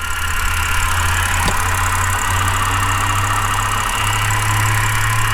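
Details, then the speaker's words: Flooded BMW E60 528xi, no exhaust smoke; steady idle with a loud constant hum and whirring from the belt end; owner suspects tensioner, pulley or water pump, unconfirmed. "I still don't like this kind of noise it's like tensioner or your pulley is very loud maybe it's a water pump"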